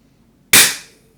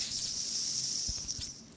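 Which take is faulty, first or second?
second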